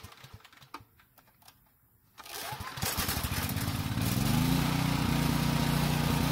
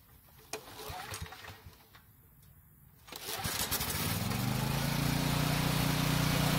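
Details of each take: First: Generator that ran only on choke: catches after a pull, settles into steady even drone, holds speed without hunting or surging; normal running. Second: Generator with fresh gasoline pulls, pauses, then starts and runs steadily on full choke but dies instantly when the choke is partly opened; carburetor problem.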